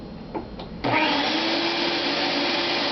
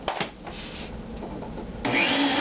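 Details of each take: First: Shop-Vac vacuum drawing 12 amps: motor spins up with a quick rising whine, then a smooth steady airy roar with no rattles; normal running, surprisingly quiet. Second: Shop-Vac at startup: a rushing vacuum roar that suddenly gets louder and harsher as the motor spins up. Owner says it doesn't usually make this sound and only does it when first turning on; cause unknown.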